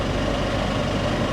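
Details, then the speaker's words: Flood-damaged Mercedes at 179,000 miles at auction, first start: steady idle with a faint fast top-end chatter; owner hoped it would fade with oil pressure, suspects water ingestion, oil looked clean. Cause unconfirmed. "it's chattering a little bit hopefully that goes away as it builds oil pressure uh maybe not"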